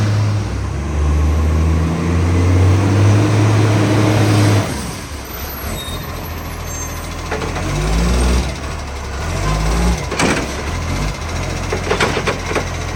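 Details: Diesel SL757: deep rumble under revs with a rough chuffing edge at about three pulses a second, fading off load; a huge exhaust leak is suspected.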